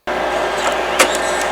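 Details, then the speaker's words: Imation LS-120 SuperDisk drive, eject commanded from Windows because the front eject button doesn't work: short steady eject-motor whir with a light click near the end, pushing the disk out normally. "So the eject command from Windows will eject the disk, but the visible button here looks like it's going to need some work."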